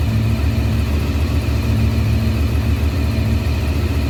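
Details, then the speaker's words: 1993 Honda VFR750F, carbs cleaned, first start in over a year, air filter not yet fitted: steady, even low burble idling at about 1200 rpm with no misses or knocks; normal idle. "so all right that's 1200 rpm right there"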